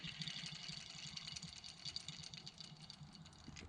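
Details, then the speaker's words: BMW E36 engine bay, old pulley removed and spun by hand giving gritty fast crackling rattle from worn rough bearing; new pulley spins silent. "bearing noise you can definitely hear that and when we go to our new one silent you don't hear anything"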